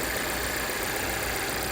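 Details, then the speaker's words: 2017 Volvo XC60 idling after repairing the vacuum/PCV leak that caused P0507 and P0171, fuel trims back near zero from about +50: steady, even idle hum with no surge or hiss; normal idle. "Car RPM good, run good. Run okay. Nothing here. Run perfect,"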